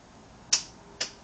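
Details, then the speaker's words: 2007 Yamaha V-Star 1100 with new battery, lights and horn working, in neutral: pressing start gives only dry clicks, no starter spin; single click, no crank, cause unknown. "I'm in neutral. It's on, and here we go. Just a click."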